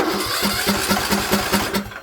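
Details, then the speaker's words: Craftsman LT2000 riding mower after the exhaust was cleared and refitted: starts and runs smoothly, quieter than before, with quick even pulses. The governor then seems stuck, suspected to be caused by the carburetor. "nice and quiet. See if it'll start right up. Seemed quieter than it was before."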